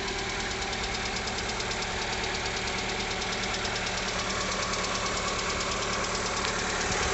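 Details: 2020 Lada Largus, 21129 engine, 3,300 km, morning cold idle: sharp, fast, even knock of about three beats a second that comes and goes, cold or hot. Cause was a factory-defective cylinder head, replaced under warranty.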